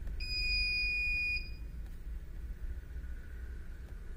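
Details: CP Plus DVR (KVMS Pro app): single steady high-pitched electronic beep about a second long over faint room hum; the recorder's alarm buzzer sounding, to be switched off in KVMS Pro.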